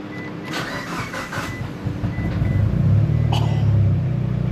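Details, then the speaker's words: Mitsubishi Lancer Evo 4G63 after battery relocation and hardwire rewiring, voltages checked with only about 0.2 V drop: brisk, rapid cranking for about two seconds, then the engine catches and runs steadily; starter spins faster than ever. "But it's never spun that fast, even with like the full voltage on the car. So this rewire is definitely needed."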